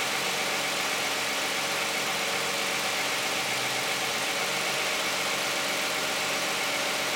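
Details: Cold start of a 2010 Toyota Camry 3.5 V6 with 93,000 miles on Pennzoil Ultra 5W-30 synthetic and a Wix filter: smooth, even idle with a steady hiss and light valvetrain chatter, no knocks or misses, healthy warm-up.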